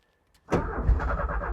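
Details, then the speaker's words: 1985 Porsche 944 off the road since 2013, first crank attempt: quiet, then a sudden catch with a rough, uneven rumble as the engine coughs and briefly fires while cranking, showing some spark. "fired there for a second. All right, so that was an absolute result really. So what you heard there was the engine coughing."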